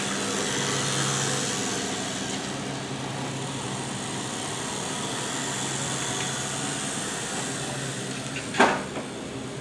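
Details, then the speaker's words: Jazzy 600 six-wheel power chair used only one or two months, driven indoors. Quiet steady hum with a faint high whir; the drive motors are noisier than they should be but getting better, and the owner suspects they need breaking in. "it's actually getting better so the noise is not that bad"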